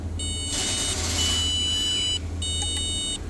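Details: Car that won't crank (starter fires when jumped, signal issue suspected, wiring traced to BCM): bright, shrill key-chime beeps repeat unevenly under the dash with clicking over a low hum; cause unconfirmed.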